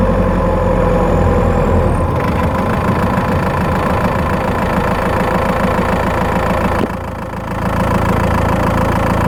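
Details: Skoda Octavia 1.9 TDI PD driving under load, microphone in the battery box: faint, fairly fast ticking chirp about three per second over the drone, mainly when accelerating; source not pinned down.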